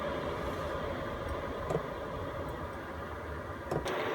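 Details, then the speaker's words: Chinese all-in-one diesel heater in a van, just switched off, fan keeps blowing to cool the unit down: steady airy rush with faint constant whine, no knocks or rattles; normal cool-down run. "What I'm actually going to do is switch this off for the moment, and this is still going to keep blowing the fans until this is cooled right down into the green here, and that's going to keep it safe and help cool the whole thing down."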